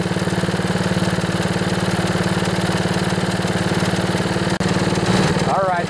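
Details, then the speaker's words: Older Honda Harmony HRB215 lawn mower after carburetor cleaning, choke just turned off, air filter removed, warming up; quick, even putter holding steady without hunting or dying — clean idle. "all righty just turn the choke off refusal idle yeah that sounds pretty good I'm gonna let it warm up a bit"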